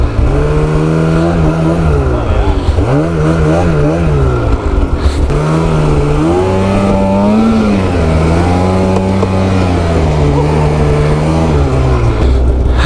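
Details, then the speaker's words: Snowmobile climbing a drainage: revs rise and sag unevenly with rough drone as the CVT drive belt slips; belt partly blown with a chunk missing and loose, no spare carried. "My quick drive belt is blown, so yeah."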